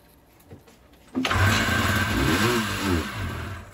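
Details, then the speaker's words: 1989 Ski-Doo Safari 377 two-stroke after teardown, with about 90–95 psi compression and the fuel tank not hooked up, catches on sprayed ether and revs unevenly for a few seconds before fading. "again spraying ether in there they don't recommend it for two strokes but there was so much oil i had in this engine i wasn't too too worried so there you go that is proof that an engine will run on 90 psi"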